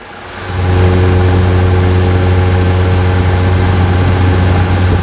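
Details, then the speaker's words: Chevrolet S10 Pitbull with MWM diesel held at raised speed: a faint high whine over a steady rumble, heard before a full overhaul that includes a turbo replacement. Cause suspected, not confirmed. "E aí estamos ouvindo o motor e olha esse barulhinho."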